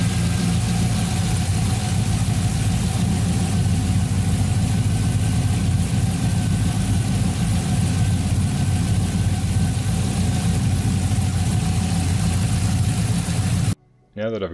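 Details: 1992 Toyota Land Cruiser FJ80 with swapped 6L L98 V8 and 6L80 transmission, first startup after conversion, tach and oil pressure gauge not yet working: steady, even low rumble at idle, no knocks or misses; runs smoothly, normal idle.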